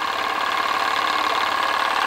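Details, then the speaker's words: PM Research glass Stirling engine (Solar Engine #7) with the Baker fan load lifted off: fast even whirring, steady mid-pitched hum, no knocks or surging, picking up to about max speed; normal running at maximum unloaded speed. "so as soon as the leg goes off from the baker fan it's picking up that's about the max speed now"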